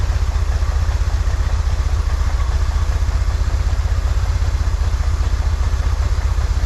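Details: 1963 Corvair flat-six after vacuum leak fixed, new PCV valve: steady even low rumble, slightly fast, smooth regular pulses, no knocking; "that's the sweet spot," idle still a little high. Normal idle.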